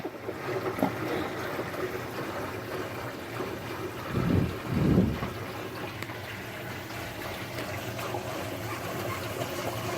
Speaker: much there we go and it's running nice and quiet now you can see not too many bubbles coming out of there now it's still purging a few but it's a about good